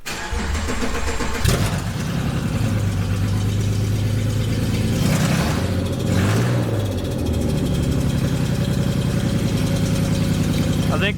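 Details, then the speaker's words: Subaru SVX project car first start despite a fuel leak: cranks, catches and revs with a loud raspy exhaust roar swelling with each blip; exhaust plainly loud. "the exhaust the way it is an attention grabber you know it'll save lives"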